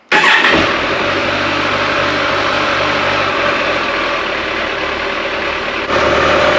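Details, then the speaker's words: Kawasaki ZZR1400 after coolant change, idling warm from 91 toward 98 degrees: steady even idle, slight lift near the end as the cooling fans kick in; no leaks, runs healthy. "Now let's start it up again, see if we can get it hot enough for the fans to kick in."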